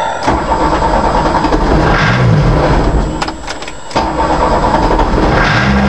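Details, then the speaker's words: 1982 VW Rabbit diesel pickup, hard starting, no idle, some white smoke, timing being set, owner unsure if injection pump or injectors; catches, sags and dies repeatedly; won't idle, stalls after starting, cause unconfirmed. "Okay, attempting to start the rabbit. Okay, she won't idle. Hard to start."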